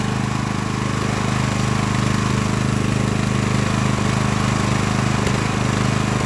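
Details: Craftsman LT1000 riding mower after Briggs & Stratton engine swap, warmed up, test mowing tall grass with unsharpened used blades: steady, even single-cylinder drone holding speed, no misses or knocks; pulls the deck fine.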